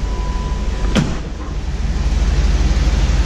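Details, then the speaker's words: 1999 Chevy Tahoe V8 started right after an oil change (6,500 miles since the last one): low, even idle rumble holding steady, brief clunk at one second; oil pressure up, no leaks; normal idle. "so we got the oil changed in this I'm gonna fire it up here I'm gonna move this out of the way and this fire this up make sure we don't have any leaks anywhere well we've got oil pressure that's good"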